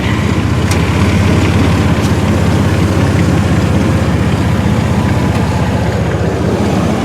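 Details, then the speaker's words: 2000 Chevrolet Blazer LS 4-door 4x4, low mileage, 4.3-liter V6, heard during a walkaround: deep, smooth, steady rumble with no misses, ticks or knocks; described as sounding particularly good. Normal idle. "this is the 4.3 liter V6 and I've always found these things to be darn near bulletproof I love this motor it's plenty of power it's a nice size six cylinder I I can't say enough good things about this but this one sounds particularly goo"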